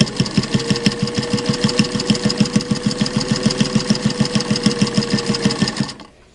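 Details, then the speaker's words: Sewing machine stitching through six layers of muslin for a mask seam: even, steady clunk about three times a second over the motor hum. This is just the needle punching the thick layers, and the machine is fine. "now you can hear that kind of clunk clunk that is only because it's going through six layers of muslin um the machine there's nothing at all wrong with the machine that's what it sounds like going through six layers"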